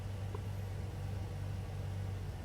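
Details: Toyota GX81 Mark II with naturally aspirated 2JZ on a dyno during tuning on 98 and E85: deep, steady, even idle with constant low rumble, no hunting or stumbling.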